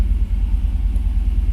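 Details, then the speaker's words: 1980 El Camino, 5.3 Vortec LS swap with T5, first start after reconnecting the alternator: fuel pump primes, battery charging; steady, smooth low rumble with even beat, no misses, knocks or squeals; healthy idle, not yet warmed up. "there you go hear the fuel pump priming up all right that's all primed there we go after your the battery is charging everything sounds good"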